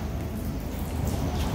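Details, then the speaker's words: Busted Symmons valve leaking: a continuous heavy patter of water splashing onto concrete, like indoor rain, with leaks all over the place. A major supply leak, fixed with a new valve. "we got leaks all over the place this is crazy look at all this"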